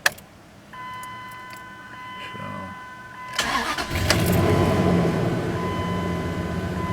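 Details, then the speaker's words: 2001 Dodge Dakota 4.7L quad cab 4x4, 130,638 miles, which previously would run and die; after cleaning the idle air control valve, restarted with the engine still hot, it cranks briefly, catches and settles into an even, steady idle: normal hot restart and idle. "there it is it started up slow went there and the engine's still hot so i try this again when it's cold"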